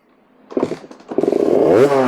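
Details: KTM 350 diagnosed for no spark, first start with a Lectron carburetor after fixing a leak from an oversized fuel hose: a few sputtering kicks, then it catches and buzzes up in pitch, firing and revving cleanly. Normal start.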